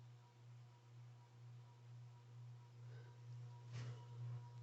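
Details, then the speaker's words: 36-inch Atlantic Air ceiling fan that has grown louder over time: steady low hum with faint rhythmic whoosh near two beats a second and occasional rattle; cause unknown, fan being replaced. "this 52 inch hampton bay fan which will be replacing the atlantic air spinner in my parents room because it's just so loud it's gotten worse"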